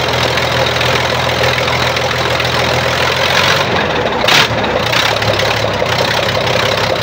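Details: Weichai diesel engine after new warranty injection pump and injectors, fixing backfire and glowing exhaust: steady, even diesel clatter with no misses, pops or stumbles; runs smoothly, no smoke or backfire.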